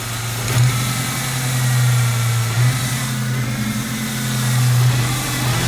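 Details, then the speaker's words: 2000 Ford Mustang V6 just after a Windstar intake swap with fabricated IAC plate, throttle bracket not yet finished, brand new battery; steady V6 hum with gentle rev rises and falls, a little roughness, maybe coughing out dirt; sounds a bit better, normal running after intake swap. "Sounds a little bit better. I don't know if it's coughing out some dirt, but we'll touch base with the rest later."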